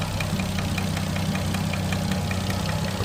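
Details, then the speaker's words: RB25DET Neo, hot idle after a 10 psi run, good oil level: quick light even ticking louder than ever, seemingly cylinder 4 or 5, calms after 5 minutes; runs fine, no check-engine light, small exhaust manifold gasket leak; suspected lifter. "Just curious what that can be. Cuz it's a lot louder than it's ever been. Sounds like it's coming from one of these cylinders."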